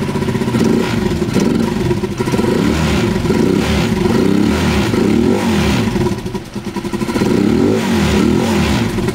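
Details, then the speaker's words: A Rusi Chariot 175 is revved up and down. A loose, irregular clattering grows with throttle, heard through the muffler/exhaust; the owner places it under the engine and calls it a common issue on every Rusi Chariot. Rattle when revving. "Kasi may maingay tayo na naririnig sa tambutso natin pagka ito ay pinapaandar natin at binobomba."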